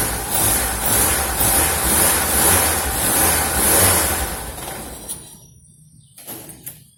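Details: Car that hit something on a gravel road, at start and idle: loose buzzy rattle and vibration from underneath; suspected crankcase/sump protection plate dented and touching the exhaust.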